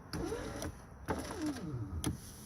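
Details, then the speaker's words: 2009 Hyundai Elantra left front power window: the motor whirs with sharp, irregular crunches and clicks as the glass moves up and down; the motor works, so the window regulator is faulty. "You hear it crunching. So, since it's going up and down, you know the motor's working. So what's left is the regulator."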